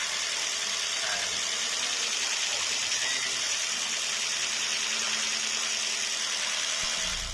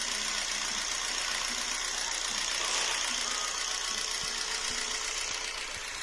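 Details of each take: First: Jeep Renegade 1.4 L MultiAir2 turbo I4 after fitting new spark plugs: a steady, even idle with no stumbles or dropouts, the engine light now off and idling okay. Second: Jeep Renegade 1.4 L MultiAir2 turbo I4 with the warning light on and codes P0300, P0303, P0304 and P0353, before repair: a lumpy idle stumbling about every half second; number 3 dead, no burn time on the scope, wet plug.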